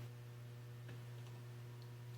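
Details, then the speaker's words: Magnetic drill (mag drill) with an electromagnet base rated about 4,000 lb holding force, used like a drill press: steady, even low electromagnet hum from the energized base, holding normally. "you can hear that humming that is the uh electromagnetic uh"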